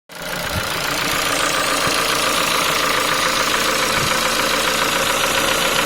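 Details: Ford Focus 3 1.6 125 hp at idle: light, sharp, uneven metallic tapping, louder when cold; worn piston pin from poor-quality parts, can appear within 10,000 km of purchase.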